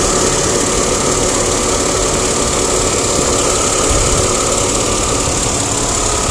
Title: Crossfire Engine Ticking Sound